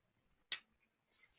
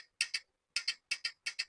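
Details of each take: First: 8-pin glass relay in a push-button hold (latching) circuit, powered with phase and neutral: one sharp clean click as the relay pulls in, then quiet; latching normally. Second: 8-pin glass relay on training panel, green push button pressed without common/latch wire connected: sharp clicks in quick pairs, coil pulls in and drops straight back; relay coil not latching until common contact wired.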